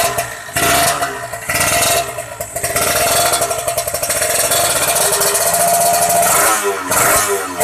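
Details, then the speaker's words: Kawasaki Ninja 150 R two-stroke after carburettor air-screw adjustment: crisp buzz picks up cleanly on throttle and settles back without bogging; mixture sounds right, normal idle and throttle response. "Enak teman-teman, suaranya enak guys."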